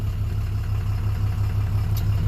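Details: 2007 Dodge Ram 2500HD 6.7 Cummins after no crank/no start repair (original TIPM kept); aftermarket parts, needs tune. Low, smooth diesel idle, even rumble, no knocks or surging: normal idle.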